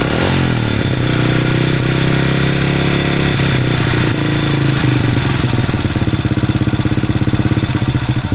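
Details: Supra underbone moped that would not start: small single settles from fast idle into a low, even, steady beat with no misses or clatter, running properly.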